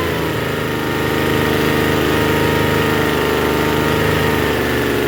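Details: Troy-Bilt TB272V two-stroke leaf blower, found free, after setting the mixture screw about one and a half turns out: runs steady and even but at a fast, buzzy idle, a little high; idle still set too high after the carburetor adjustment.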